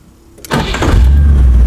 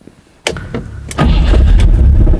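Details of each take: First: Rover V8 3.9 L after distributor replacement, idle set to about 800 rpm and timing strobed at 5 degrees: after a short crank it settles into a deep, steady, even idle with no misses, sounding healthy. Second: Rover V8 3.9 L after distributor replacement, first start with timing only statically set and vacuum hose disconnected: cranks, catches and settles into deep idle with slight unevenness, running but not quite smooth; needs strobe timing adjustment.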